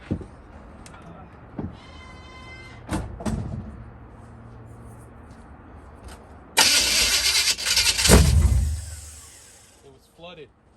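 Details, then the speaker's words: 1969 Oldsmobile Cutlass with freshly swapped 454 big-block Chevy, first start attempt: several short cranking bursts, then a loud rough roar that fades after two seconds without running on; engine flooded, no start. "before we go before we get any crazy spills wow that that looked promising it was flooded"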